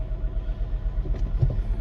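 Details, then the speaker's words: 2007 Mini One 1.4 petrol, six-speed, at idle and a light rev: low, uneven, lumpy rumble that surges and dips, with the warning light flashing; a misfire somewhere, cause unknown. "so as you can see and here it just sounds a little bit lumpy and give it a bit of a REV the light flashes"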